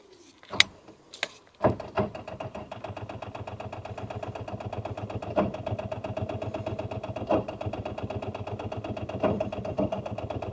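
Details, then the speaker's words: Rover 800 abandoned in brambles for 15 years, cranked after lots of brake cleaner sprayed into intake; steady rapid starter cranking with even compression pulses, no firing at all. Cranks, no start. "Yeah, I don't think we're having any luck with that."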